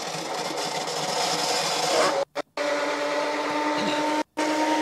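Steady rushing water hiss with a few faint, even tones and no knocks or rubbing; the turbine is running normally at full pressure.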